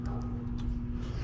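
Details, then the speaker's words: 39-year-old Carrier condenser unit, thermostat calling at 80 degrees, blower on: steady low hum with no fan or compressor start; contactor or capacitor suspected, not confirmed; constant hum. "but it's a constant hum. That could be the contactor in there, maybe."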